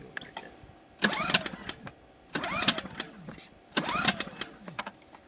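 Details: New Generac iX2000 generator on its first start after nine primer pumps, choke adjusted between midway and full. Three roughly one-second pull-start bursts never catch, after an earlier brief start died. Cranks but won't start.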